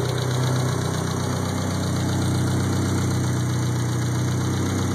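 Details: 1G Talon 4G63 at idle: fast, light, even tick over engine hum; owner suspects lifter tick, not confirmed.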